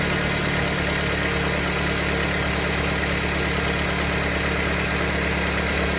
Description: Sounds of a bad alternator. Bad alternator on a 2007 Dodge Caliber.